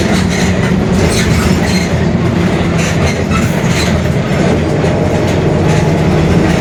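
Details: Mercedes-Benz OF-1721 Bluetec 5 diesel urban bus, Mascarello GranVia Midi body, built 2021, onboard: constant low rumbling growl holding with road speed over engine and road noise, a growling (roncando) rear differential.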